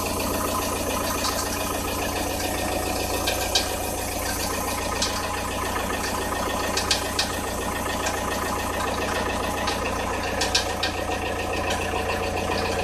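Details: Audi A6 C4 1.9 TDI at cold idle, only around 0–5 °C outside and not every day: diesel clatter with irregular uneven knocks near the timing belt, disappearing as the engine warms; tensioner rollers fine, cause unknown.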